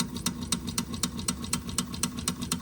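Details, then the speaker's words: Wilesco D6 toy steam engine fired by old, crumbled solid fuel tablets giving a low flame; soft regular clicking about four beats a second, lazy and below full speed from the weak burner flame. "I used the the solid fuel tablets and most of the solid fuel tablets I had in there were quite old. And so it's it's quite possible that the flame's quite low"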